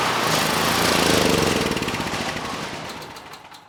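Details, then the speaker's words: Neglected, low-compression Generac GP5500 generator with brand new carburetor, choke on: fast uneven chugging then sags and dies, surging exactly as before; only fuel leak fixed, lean jetting possible but doubted. "So, I find it very interesting that a brand new carburetor is running the engine exactly the same way. Uh, really the only improvement here is that we're not leaking any fuel. Uh, but the engine, no change in how it's running."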